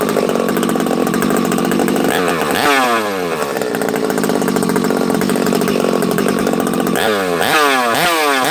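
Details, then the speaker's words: Husqvarna 371XP chainsaw first start after rebuild, choked and primed: it burbles unevenly at low revs, then clears when blipped; running rich from assembly oil in the bottom end. "you hear how you hear how rich it is on the bottom this thing's got oil"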